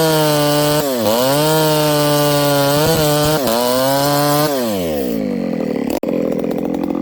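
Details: Ported Homelite 922 chainsaw after clutch and fuel line repair and a cooler heat range plug; a clean, high two-stroke scream dips as the chain bites hardwood and recovers quickly; pulls strong, normal running under load.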